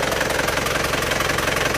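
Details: Isuzu Panther pickup diesel, cold start at 35°C engine temperature: rough, rapid clatter with uneven chuffing pulse and smoke from the dipstick already when cold; compression leak, worn piston rings and liners (blow-by).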